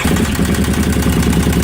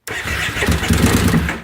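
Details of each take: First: 2005 carbureted Kawasaki Brute Force ATV after swapping out a stator meant for a 2012 fuel-injected model, which stopped it running: strong, even low V-twin beat at steady idle with no misses, knocks or stumbles; engine runs normally. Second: 2005 carbureted Kawasaki Brute Force ATV cranking in bursts with pops and backfiring but never starting despite fresh gas; the cause is a stator meant for a 2012 fuel-injected model.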